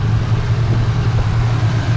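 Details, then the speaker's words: 2011 Chevy Camaro SS, LS3 V8, 6-speed, 420 rwhp, with long-tube headers, no cats, muffler delete and dyno tune: deep, even burbling idle with steady pulses and no exhaust leak ticking; normal idle. "so this is what it sounds like like I said I have no exhaust leaks"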